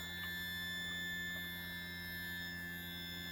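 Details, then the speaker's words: Yamaha F300 outboard on a North River 24 Seahawk, trimmed all the way down: steady high electric whine at even pitch, no sagging or deeper tone, indicating normal trim motor operation with good battery. "okay so then you want to make sure you trim it all the way down and you can hear it"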